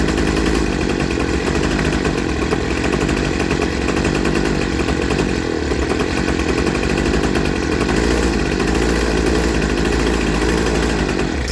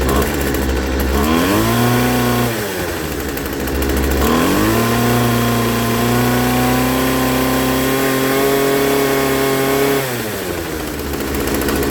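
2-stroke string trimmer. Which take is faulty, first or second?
second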